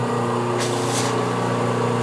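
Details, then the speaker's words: A paper-blade grinder runs normally at first switch-on before grinding, checked by listening and feeling for vibration. A steady, even hum with a brief hiss of coolant spray; no wobble or knock, and the wheel shows no out-of-balance. "listening in kind of feeling for vibration normal yeah vibrate a little they put my finger down in here on the wheel itself and feel the wheel going by there's no out of balance to it"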